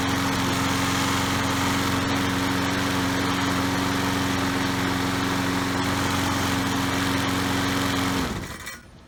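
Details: Troy-Bilt 3-in-1 self-propelled mower with a Briggs & Stratton 675 series 190cc engine, rescued from the curb as a no-start, running after repair: steady, even drone for eight seconds, then a clean wind-down at shutoff.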